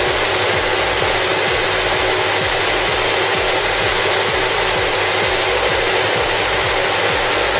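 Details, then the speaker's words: 1984 Mercedes-Benz W126 380SE V8 just after all eight spark plugs were replaced with NGK BPE6ES: steady, even idle with regular firing pulses and no stumble or miss under hiss; running very well. "it's cylinders it spark plugs all done and you can hear the motor is running very well thanks for watching"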